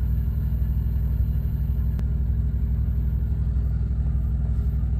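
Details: Thermo King APU on a truck, heard outside after kicking on with air conditioning selected: steady low diesel drone with even pulsing beat about three per second, no knocks or misses; running normally.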